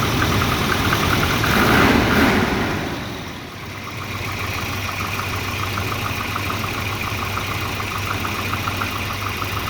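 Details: Volvo 240 idle hunts and wavers under a steady light tick about four per second; multimeter on the O2 sensor read erratically once exhaust reached temperature, and a new exhaust oxygen sensor fixed the rough idle.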